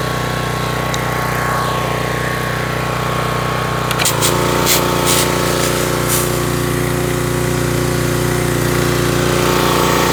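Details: Troy-Bilt pressure washer engine brought in with run issues, test run: holds a steady, even drone as the water spray starts, no hunting or stumbling under load; sounds healthy.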